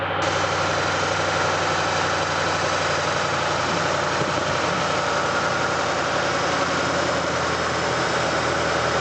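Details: 2007 Ford Mustang GT 4.6 at idle: steady thin whine over a gritty rush, no knock, a whining, grinding engine noise attributed to a bad water pump.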